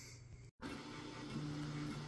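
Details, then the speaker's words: Prusa XL 3D printer with Nextruder, after quieting mods (fan wedged at bottom right, dwarf board covers, mat and silicone ear plug pieces under wings), printing a high-speed test cube: quick infill gives soft, low motor hum with tones stepping as the head moves, no buzz or rattle; normal printing noise. "the infill here is pretty quick and it gives a good rattle"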